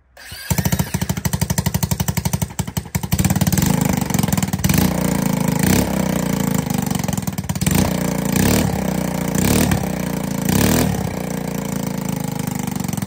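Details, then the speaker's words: ATK 125 go-kart single-cylinder with no muffler yet: very loud, sharp, unmuffled barking, surging unevenly between blips. Carburetor no longer leaks. Owner suspects a loose intake from hammering. Loud exhaust, rough running. "Yeah, she's pretty loud. That's okay. We're gonna fix that."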